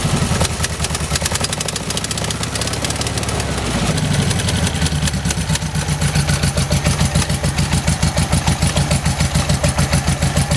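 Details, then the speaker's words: 1971 VW bus flat-four after new carburetor fitted, air cleaner off, previously running rich and hard starting: uneven, lumpy idle pulse about three beats a second; running a little rough, timing and carb adjustment planned. "Alright guys, well it's running. It's just running a little rough."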